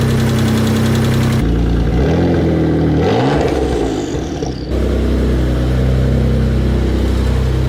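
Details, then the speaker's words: Mitsubishi 3000GT VR4 engine after sitting over a year, first start: catches and settles into a fast idle with a light, quick tick that fully went away once the lifter-like lash adjusters filled with oil. Lifter tick on cold start. "the tick completely went away I was just excited over looking it was just like the they're not actual lifters but pretty much lifters just weren't just to have oil in them yet"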